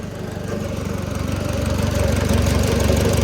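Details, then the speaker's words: Oliver Super 66 tractor engine idling after valve adjustment, one valve found loose at 0.016 and reset: steady, even low thump at about four beats a second, all cylinders sounding alike; normal idle. "everybody sounds happy they all sound the same"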